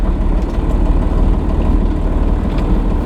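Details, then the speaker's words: 80 series Land Cruiser with Cummins diesel swap and repaired NV4500 transmission, transmission tunnel now sealed, in-cabin while driving: low steady diesel rumble, no knocks, whines or rattles, considerably quiet; normal cabin noise. "now that we have the transmission tunnel sealed up it is considerably quiet I'll place a clip of the sound now once we get going compared to the open transmission tunnel when I had first started driving it and show you the difference it's it feels not much louder than my Corolla"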